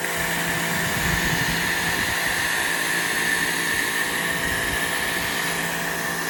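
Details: New WAP Extreme Turbo 2800 pressure washer on first use, steady even motor drone with constant high whine, no knocks or surging: normal running.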